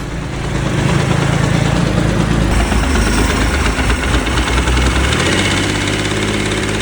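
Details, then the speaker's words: Motorcycle engine on its first start after a full rebuild and timing set-up. Idles steadily at first, then a loose, uneven knock of about four beats per second appears once it warms up. "Вроде всё хорошо, всё работает, двигатель прогревается и появляется какой-то слук."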